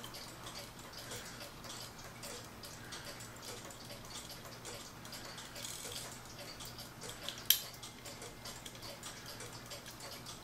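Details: Howard Miller Ships Bell clock, since cleaned and oiled after it would not tick: faint, even ticking at a steady beat in a quiet room, no stumbles or stops; movement running normally.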